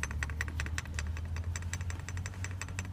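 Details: SsangYong with belt noise persisting after tensioner replacement: quick uneven jingling rattle, like a rattle toy, over low engine hum, traced to power steering pump pulley, usually worn splines on pulley shaft.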